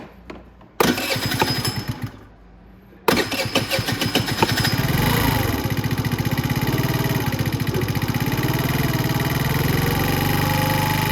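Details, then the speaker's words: Venom Roma 50cc GY6 scooter: cranks twice, catches and settles into a fast busy idle set too high, before the idle screw is turned down to about 1500 rpm. "Now you'll notice that it's idling very high right now."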